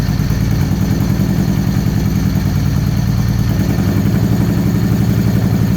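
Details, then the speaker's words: 2013 Victory Cross Country supercharged V-twin, first start after sitting over a year: lumpy chugging idle with every other firing pulse missing, running on one cylinder; damaged plug wire not making contact fouled the front plug, so plug wires are swapped. "all right sound like it's only running on one cylinder let's try out some different plug wires let's just grab another set of plug wires and because I know that one of those was had been damaged at some point"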